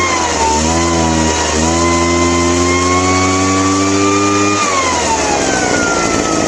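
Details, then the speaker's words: Craftsman backpack leaf blower two-stroke after carburetor cleaning, non-adjustable carburetor: revs up slowly in a wavering climb, holds a buzzing high pitch, then sags back; still poor running, cause unclear. "Yeah, it's to me it still sounds like there's something not quite right with it."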